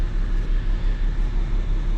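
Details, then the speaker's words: 2004 BMW 325xi automatic, 17 years old, engine previously replaced; check engine light on, low uneven idle that lopes and stumbles with shaking; scan shows misfire cylinders six and two from failing ignition coils. "as you can see check engine lights on i don't know if you can tell or not it's running a little rough can you feel it shaking"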